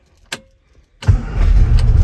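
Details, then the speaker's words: 1967 Austin Mini Cooper S, not started since 2014, choke partly out: a single click, a pause, then it fires and catches into a low, slightly uneven idle, not sounding its best yet, expected to clear up. "there we go [Music] doesn't sound the best but at least it's running it'll probably take a while for the engine to clear up"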